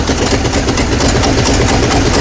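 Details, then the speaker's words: 1970 GMC 2500 3/4 ton truck revival, just started after sitting, choke on, oil added to a cylinder: lumpy uneven idle with stumbling beat and heavy vibration, engine running rough; good oil pressure. "She doesn't sound like she wants to stay running now."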